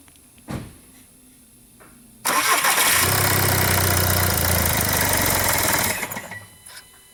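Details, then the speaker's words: 2009 VW Jetta TDI, CBEA common-rail diesel, 232,000 miles: starter cranks, engine catches and runs a few seconds then dies, every time; immobilizer ruled out, no fault codes, cause unknown; dual-mass flywheel rattles slightly on shutdown. "It's a CBEA engine, TDI, and the customer's complaint is that it will start up and die."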